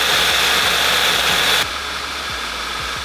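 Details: Audi A5 being rebuilt after a cooling system replacement and airbag install, restarted after a coil test: uneven, stumbling idle with lumpy low thumps about four a second under a loud hiss; scanner shows misfires on cylinders 1, 3, 4, 2.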